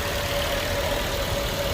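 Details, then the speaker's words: 2014 Nissan Sunny after IPDM repair for A/C compressor not working: steady idle with a faint constant mid tone, no cycling or knocking; compressor now engaged and running fine. "Compressor चालू हो गया है।"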